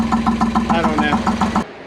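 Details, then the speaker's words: Boat diesel idling for a few minutes before load, after fuel problem fixed with brand new filters and clean diesel; even steady idle with regular thump about five per second, no knocks, misses or hunting; normal idle. "Motor is running. We let it idle for a few minutes before we put a load on it, but I think we're gonna be okay."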